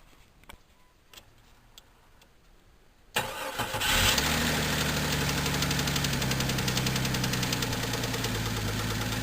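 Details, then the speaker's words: 1998 Jeep Cherokee 4.0L began clicking after a 4-degree cold start and worsened through the day. Valve cover off, valves fine, fan belt removed. Fast idle with a steady thick tapping knock about four per second, internal. Suspected wrist pin slap, not confirmed; teardown planned. "That thick knock I believe is a wrist pin slap, so we're going to have to tear it down and go into it and see what's the matter with it."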